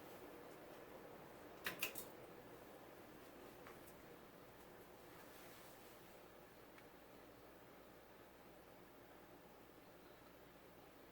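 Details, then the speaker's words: CEC-made 36-inch white and polished brass spinner ceiling fan on low speed: only a faint soft hum and room hush, with quiet bearings despite the fan being filthy and no wobble on low. Normal quiet running. "Fan is really quiet too. The bearings aren't noisy at all, which is surprising considering how filthy it was."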